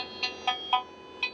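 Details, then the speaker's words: Toyota, Lexus or Dodge 2007-and-up blower fan, homemade acoustic probe on the PWM signal wire and negative: sharp chirps over a quiet hiss, tone changing as fan speed is increased, confirming a real control signal reaches the blower. "Once I switch it on, we can hear the signal, the acoustic signal, and with increasing speed, pretty cool, we can hear actual change."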